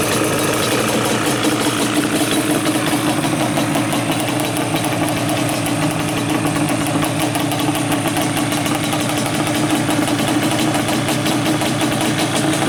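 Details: Yamaha Banshee two-stroke twin, carbs just synchronized with a sync tool, airbox removed and pods fitted: crisp, even crackle holding steady without hunting or stumbling. Carbs sound balanced and the engine runs healthy.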